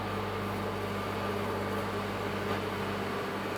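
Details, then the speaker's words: 2002-2009 Chevrolet Trailblazer 4.2L running after power steering return hose replacement and fluid top-up, wheel turned side to side: steady even hum, no howl indicating air in the system; power steering pump sounds normal. "I'm listening to hear if I can hear any type of odd howling noise coming from the power steering pump. While I do so, that would mean that there's air in the system. This sounds perfect."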